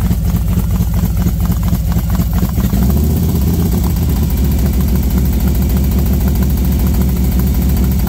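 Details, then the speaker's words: V-twin motorcycle with SS540 cam and valve springs, idling about 10 minutes warming up at 40 degrees outside: lumpy but steady idle with intake hiss, no ticking; idling fine. "sounds good I hear a lot here it's 40 degrees outside warming up it's sounding pretty good"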